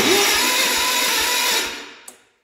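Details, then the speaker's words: 1971 Gravely 432 garden tractor, Kohler K-series engine, just rewired, cranked indoors on the key without starting: slow, uneven starter chug then spins down; owner suspects low battery; plug wire also damaged. "Well, what do you freaking know? The sucker turns over with the key. Wouldn't do that when I bought it."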